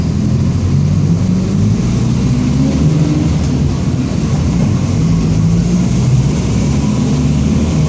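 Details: 2007 Marcopolo Torino city bus on Mercedes-Benz OF-1722M diesel chassis, Grande Londrina fleet 3311, line 314, cruising; deep, rough droning growl under the engine wavering with road speed, a growling rear differential.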